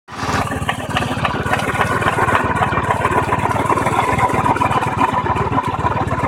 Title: Knocking or grinding type of noise from engine seems more in clutch side